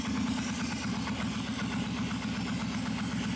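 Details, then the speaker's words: 1996 Suzuki Intruder 1400 V-twin, choke (enricher) turned off, idle drops from slightly elevated to a steady, even, smooth thump; normal healthy idle. "it drops down to a steady idle"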